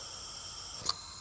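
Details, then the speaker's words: Selector valve backfed with 10 psi regulated shop air: a quick double click over faint hiss as the valve switches tanks; the selector shifts properly. "You can feel the selector valve change, you can hear the selector valve change, and air is now coming out of the rear port of the selector valve."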